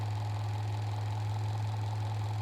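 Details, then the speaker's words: Refurbished 1961 Rolls-Royce Silver Cloud distributor with about 0.002 in shaft play, spinning on a distributor testing rig with dwell within a degree of 34. Smooth, even low hum, steady pitch, no knocks or catches. Normal distributor test run. "Now we're running it in the distributor testing rig to see how we did."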